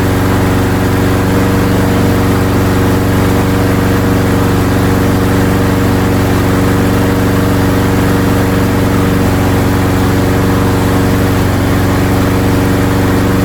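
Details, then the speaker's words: Craftsman lawnmower with Tecumseh or Briggs & Stratton engine, after repair, primed and started with a light pull: steady, even beat, constant low drone, no misses or knocks; normal running. "Beautiful. It is working perfect. Yeeha! That is great."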